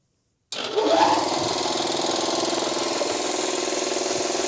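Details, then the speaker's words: Secondhand air compressor that had been stiff and freed up, oil level uncertain so run only briefly: starts abruptly then steady even chugging about three to four beats a second, no knock or bind; normal running. "oh she's working now I just want to um I don't want it to run too too long because I'm not sure if there's oil in there"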